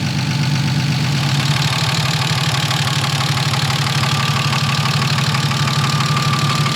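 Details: BMW E36 first start-up after an engine build, at idle: a fast, even light tapping about three per second over a steady idle, thought to be one lifter not yet bled down; the engine later held operating temperature for a 20-minute idle.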